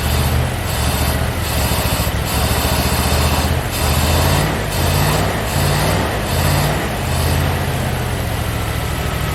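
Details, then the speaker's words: Rover P6 estate V8 with five-speed manual, a barn find, idling lumpy and uneven with a stumble about once a second; one cylinder is not firing because the distributor cap is cracked inside, a misfire on one cylinder. "there's at least eight there was it eight well no one's not working because the decision was kept cracked inside so it's firing on about five"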